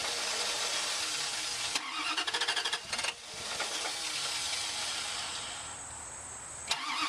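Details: Wood gas truck engine with new automixer: starter chugs in rapid even rhythm over a second before catching, hissy background; slow to fire, failed cranks attributed to bad gas quality and gas slow to come back.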